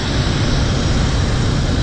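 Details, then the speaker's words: 1997 Ford Crown Victoria V8 after fitting a PI intake manifold and temporary exhaust: deep, lumpy idle with an uneven low throb that keeps stumbling and visible shaking; dead miss on one cylinder. "Like I said, it has a pretty dead miss. I mean, you can see it shaking."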